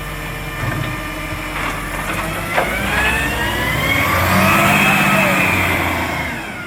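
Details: Marion garbage truck SL01300 diesel after its exhaust leak was fixed: pulls smoothly through the revs with a steady exhaust note, and no puffing or ticking.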